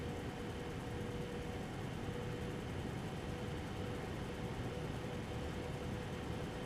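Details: MSI Radeon HD 7970 Twin Frozr III after replacing both fans with PLD08010S12HH units, running a Time Spy benchmark: quiet, steady airflow whoosh with a faint thin tone, coil whine about the same as before, no rattle or grinding.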